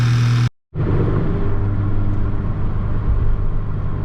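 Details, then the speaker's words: Mk6 GTI engine on first start after repair of a seized exhaust-side balance shaft (new balance shafts, chain and tensioner), warming up: after a brief dropout, a steady, even low rumble with no knocks or chain slap; runs smooth. "It's alive. Awesome. Sounds good. So we'll let it warm up for a bit."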